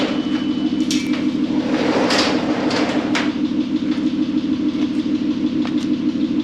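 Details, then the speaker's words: VW R32 starting after 10 years sitting, after the timing chain was re-timed correctly and the front bumper removed: smooth, steady, even idle hum with no misses or knocks; a slight ticking was noted; normal idle. "She's a purring like a kitten. Oh my goodness. You know, all it needed was just a timing chain done correctly."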